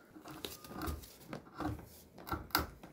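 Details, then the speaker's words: KuKirin G2 Max e-scooter hub motor, seized and barely spinning, turned by hand: rough scraping, crunching and rattling, not the brakes; teardown found heavy rust from water damage and a broken stator fin piece grinding against the magnets. "As you can hear, definitely it's not the brakes. I'm pretty sure that something inside the brake like maybe the magnet. And this motor is gone."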